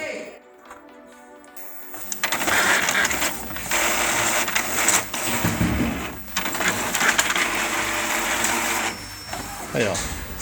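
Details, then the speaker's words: Epson L210 EcoTank printer, which blinked all lights and would not copy, printing a page: steady rhythmic whirring and clicking as the print head sweeps and paper feeds; printing works normally. "então agora eu vou colocar aqui para imprimir para você ver que ela atende tranquilamente é fazendo a impressão"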